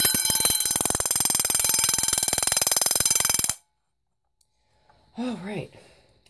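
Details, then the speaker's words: Vintage Vulcan Autosonic Mk. 30-A (VA-M-30FT) windup heat detector bells test-rung: fast, even metallic ringing about three strokes a second for several seconds, then stops cleanly; working normally. "pretty cool actually on account they they both sound together"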